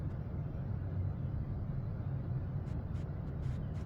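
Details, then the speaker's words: Leslie 147 speaker cabinet motor just oiled after being severely under-oiled; low steady hum, even drone, no scraping or squeal, motor spinning freely and much faster after oiling. "Oh yeah, that made a big difference. It's really moving now."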